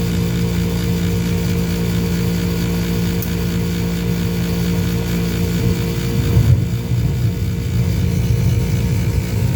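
A furnace motor runs with a loud, rough low hum and uneven rumble, pointing to a worn motor bearing.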